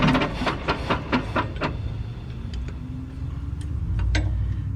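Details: Mack tank truck diesel at idle: heavy, uneven, lumpy thumping about five beats per second that settles into a rough hum; misfiring, owner suspects a loose injection-pump delivery valve; also has exhaust and fuel leaks.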